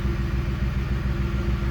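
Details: 2010 Ford Expedition with P1726 rear air suspension code, new Arnott compressor fitted, engine idling: steady even low hum, compressor runs immediately and raises the vehicle, unlike the old unit; normal operation.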